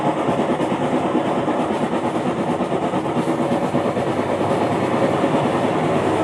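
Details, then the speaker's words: Aging top-loader washing machine, rough uneven clatter of about three knocks a second over steady rattling; clutch housing gears chewed up and worn out, rusted parts, dead pump, leaking water; fix is replacing the clutch housing gears. "so this is the problem the clutch housing so the gears are on out"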